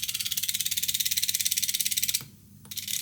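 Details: Air-conditioner expansion valve on a test PCB, 12 V coils driven at about 19 V, nearly 400 mA draw: rapid even crisp ticking about eighteen per second with brief pauses, fuller pulses at higher voltage; stepper pulsing normally.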